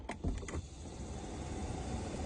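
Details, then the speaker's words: Car A/C cabin blower fan after cleaning and maintenance: a few brief clicks, then a smooth, steady low rush with no rattle; the earlier annoying noise is gone. "es lo normal, así. Eso es lo normal, así es. ¿Ves que ya no tiene aquel ruido molesto?"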